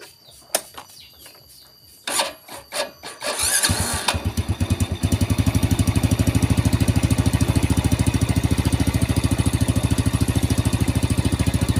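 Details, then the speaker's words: Vega R single-cylinder motorcycle: starter catches after a few tries, then a steady, even idle thump about three beats per second; engine fairly healthy, following a broken part housing repair. "yang bisa teman-teman mendengar bagian mesin lumayan sehat"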